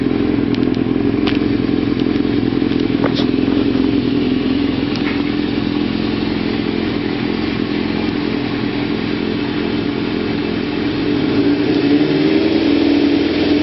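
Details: 1992 Kawasaki ZZR-600 (ZX600D) four-cylinder after renovation with new chain, sprockets and brakes, likely stock exhaust: smooth steady buzz easing down in revs, no knocking or grinding; normal running.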